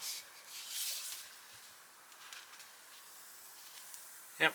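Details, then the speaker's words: Air whistling in short high-pitched puffs from a pumped-up bicycle inner tube, at first unsure whether from the valve or the tube itself; a puncture hole in the tube was then found and marked for patching. "you can hear air whistling i'm not sure it's from the valve or from the chew itself"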